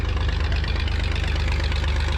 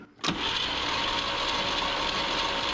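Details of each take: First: 1959 Chevrolet Biscayne six, unrun for about 40 years, brought to life by towing it in gear: a low, even, loping idle with no knocks or misses. It is running smoothly. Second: 1959 Chevrolet Biscayne not run in about 40 years: about three seconds of starter cranking with no firing and no catch; no spark found, traced to badly corroded distributor points.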